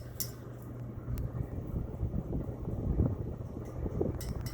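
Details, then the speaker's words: 52-inch CEC Hugger ceiling fan on high speed, with the glass globe rattling. A steady low hum with light, irregular glassy clinks; globe rattle. "And the globe's rattling too, oh my god. god, it's so annoying."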